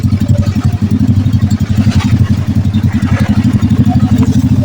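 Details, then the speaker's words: Honda Blade motorcycle engine freshly rebuilt after a cam chain failure, idling with a steady, even low thump and no mechanical clatter; smooth despite a noisy aftermarket exhaust. "Oke, suaranya halus ya. Ya, saya juga halus. Jadi tidak berantakan."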